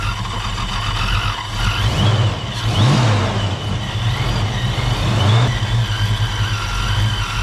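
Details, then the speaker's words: 1987 Ford Mustang LX 5.0 V8 automatic, Vortech A-Trim supercharged: revs up and falls back with choppy loping beat under exhaust rumble, sounds cammed; EGR later found bogging the motor, cause not confirmed here; lumpy revving. "don't go rub it up a little bit [Applause] sounds like it's got a damn cam in it don't it"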